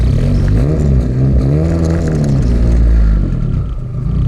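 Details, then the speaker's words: Honda K24-swapped Nissan Cefiro with straight-piped exhaust, retuned with 30° intake cam timing to redline and VTEC table fixed, on a drive: deep exhaust note climbs smoothly with revs and settles back, no popping or rattles; still fairly quiet, sounds good. "So far it's not really loud at all. It's still pretty quiet. Oh, it still sounds good."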